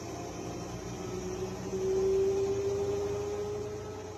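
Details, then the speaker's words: Brand-new Electrolux front-load washer at high-speed spin: a steady, even, jet-like whoosh with a faint rising whine and no knocking or scraping. The owner worried it was too loud, but this is normal spin noise. "Uh, so the sound I assume that they're concerned with is the high RPMs of the sound."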